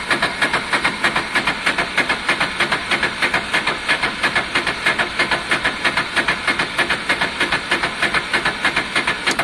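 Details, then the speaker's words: Honda Deauville motorcycle after carb clean, weak battery, fuel pump suspect: starter labours slowly through compressions about three times a second without catching; owner suspects starter jammy from long sitting, cause unconfirmed. "I think the starter motor's a bit jammy because it's been a while. But this kind of helps loosen it up really."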